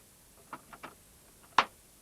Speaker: When you do, you'll notice the disk drive light come on and you'll hear the sound of the disk drive accessing as the Amiga works out it's a self-booting disk you've put in.